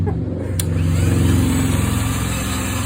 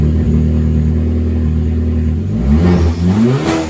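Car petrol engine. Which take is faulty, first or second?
first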